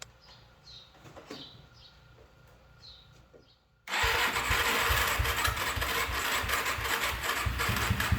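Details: Suzuki LT-Z400-type quad (z400) after replacing the one-way bearing, starter and stator gasket to fix a starting issue: quiet, then the single catches within seconds and settles into a steady, even run; starts cleanly and idles fine.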